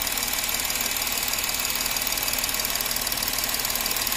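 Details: Porsche Cayenne 3.0L TDI that misfired on starting, after servicing the three injectors on one bank, with fuel return now flowing: even diesel idle clatter with a steady rhythm, no misses or stumbles, running smoothly on all cylinders.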